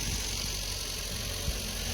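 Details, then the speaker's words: Old Honda, a 1975 or 76 CVCC or the barn-find CR-X, started after sitting with tires sunk in the asphalt: soft, even idle with a steady low murmur, no knocks or stumbles, running just like it should. "come to life oh yeah sweet just like it should"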